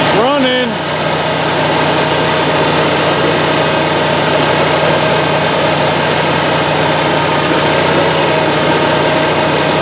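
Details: Onan Marquis 5500 RV generator (1998 Bounder motorhome, 20+ years old, only 60 hours use) after carburetor rebuild, started with starting fluid and running on gas from a can rather than the tank; brief crank, fires, steady even hum without surging or misfire; normal idle.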